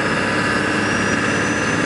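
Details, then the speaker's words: 1999 Ford F350 Lariat dually diesel on highway test drive: high turbo whistle climbs cleanly over steady roar as fuel is added, no smoke; normal turbo spool, no exhaust leaks. "i'm going to give it a little fuel you can hear the turbo boost right up it's not smoking out of the back"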